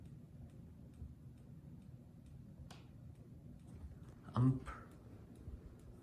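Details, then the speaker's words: Minka Aire Volterra ceiling fan: faint, light clicks about once a second over a quiet room hum; the click seems to reverberate through the wall, and the owner suspects it comes from something on the ceiling, not the fan. "I have a feeling that that clicking is not the fan it's just something on the ceiling"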